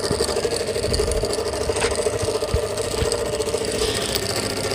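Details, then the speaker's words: Pedestal stand fan brought in by a customer for very loud noise: a loud, steady rattling drone with occasional ticks over the fan hum; the motor bearing has worked loose in its seat. "तो customer किया कथा के लिए बहुत जोर के sound कर रहा है तो क्यों सेंड कर रहे हैं अभी हम देखते हैं"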